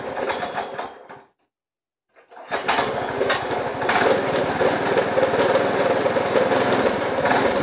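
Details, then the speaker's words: 212 Predator engine in a golf cart build with a torque converter, on its first start after the fuel tank was plumbed and primed: after a pause it picks up with an uneven, lumpy putter. It runs rough, and the owner suspects the carburettor idle screw is not set. "all right so it is running pretty rough but I think that something do it maybe I don't have the idol screw tightened up"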